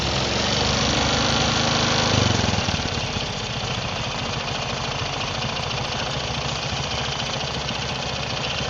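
Rough, rapid knocking rides over the idling single at about four per second, a loose piston slapping its liner rather than magneto noise.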